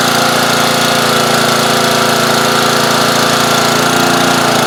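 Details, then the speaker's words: Old pressure washer running on about half a tank after being flooded earlier: fast engine with a slightly uneven hunting beat. Owner says there's a slight blockage in the carburetor and it sounds better partially choked. "there's a slight blockage in the carburetor it sounds better if I partially choke it you can hear the difference"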